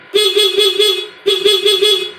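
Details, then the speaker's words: Honda Beat FI eSP scooter with good battery, ignition on: two short bursts of a bright, steady horn note with slight pulsing warble, loud and clean; speedometer lights also on; horn working normally while starter complaint is diagnosed. "semuanya menyala ya teman-teman dari send lampu-lampu pada speedometer juga menyala klakson juga menyala"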